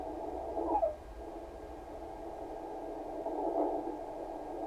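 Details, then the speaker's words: Kenwood TS-520 HF transceiver after power cord replacement, receive check in CW mode: narrow band of hiss around a few hundred hertz with faint drifting tones, noticeably narrower; CW filter working. "Sounds like the CW filter works. Mostly because See how much more wider that is? If you go to CW, you can really tell it narrows it down."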